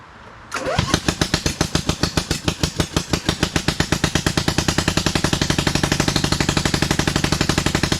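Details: 27hp engine in a Lesco Viper 54" zero-turn mower while trying to drive it, low on power: catches into a hard, lopsided chug of about four beats a second, running on only one cylinder.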